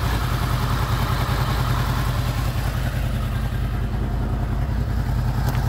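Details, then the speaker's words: Warm idle of a Honda VFR800 VTEC V4 (58,200 mileage) at about 43 °C after cam chain replacement; steady even beat with light valvetrain chatter, no knock. "я дал двигатель прогреться до 43 градусов мы сейчас посмотрим как он работает поближе на камеру"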